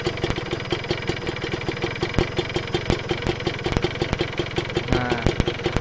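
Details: Kawasaki Ninja 2-stroke engine, revved: fast, uneven metallic rattle over the exhaust, about three ticks a second; piston slap, sound attributed to the piston.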